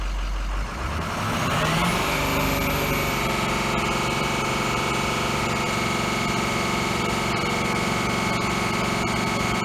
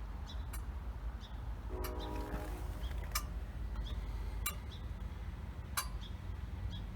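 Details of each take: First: 2005 Ford F450 6.0 diesel; a sticking injector pushes compression into the fuel lines, and the air causes misfire. Lumpy, uneven idle that runs worse off throttle and gets rougher the longer it runs. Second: 2005 Ford F-450 6.0 diesel that runs rough and stalls when warm, key-on injector buzz test: eight sharp evenly spaced ticks over low hum, one per injector; all eight injectors and wiring respond normally.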